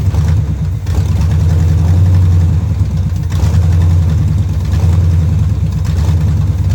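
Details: 1971 Chevrolet Camaro Z/28 V8 barn find, long-stored, distributor, plug wires and fuel lines replaced, running off a temporary fuel can: idle surges and sags about every second, lumpy; rough running blamed on a junk carburetor needing cleaning.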